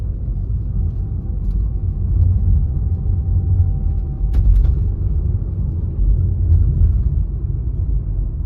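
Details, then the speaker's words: Tata Altroz driving, after fitting a rubber piece to the loosened lever to cure left-corner cricket-type rattle: steady low road rumble with no ticks or buzzing from the dash corners; cabin free of rattles. "Rubber फल को उसे करने के बाद आप यह raw footage देख सकते हो इसमें आपको मेरी कर की नॉइस बिल्कुल भी पता नहीं चलेगा"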